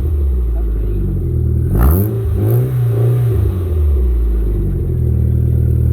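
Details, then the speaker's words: MG ZR after fitting a newly fabricated and welded back box on rubber mounts, first start in neutral to check for leaks: a deep, even exhaust note rising and falling smoothly with throttle blips, no puffing or ticking; healthy, leak-free exhaust. "Sounds quieter than it did fucking this morning. Nice."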